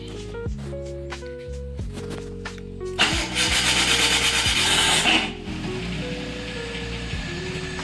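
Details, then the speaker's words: Maruti Alto 800 in neutral, starting; harsh two-second grinding whir from the starter (self) during cranking, then engine catches; starter drive lacks lubrication and sticks. "ये self की आवाज़ है, ये self से आ रही है आवाज़।"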